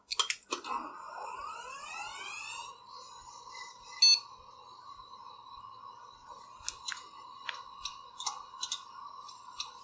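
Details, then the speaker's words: Failed hard drive in a FreeNAS ZFS RAID-Z2 server, microphone near drive after reseating: server fans whoosh, then sharp dry clicks about once a second, unchanged from before; failing hard drive clicking. "i can able to hear the same clicking noise just like before there is no change in the noise"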